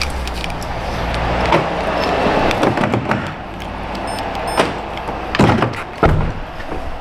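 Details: 2011 Kia Sorento LX after fix for doors not unlocking (only driver door would): quiet cabin, then several crisp, firm clunks a second apart as locks cycle; door lock actuators working normally.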